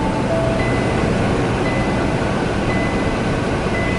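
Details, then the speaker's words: Kenworth T680 truck while driving: clear dash ding about once a second over road and engine rumble warning of low coolant; reservoir low, temperature still normal at 190°F. "I actually am, it is dinging, that's what it's telling me, is that I'm low on coolant. And I am."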